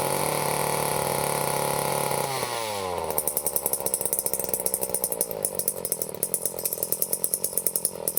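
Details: Late-1970s Power Mac 320 two-stroke chainsaw, unused since early 1980s, after carburetor rebuild and metering lever set lower: fires, drops off briefly, then settles into an even, crisp buzz with steady firing; runs clean and healthy.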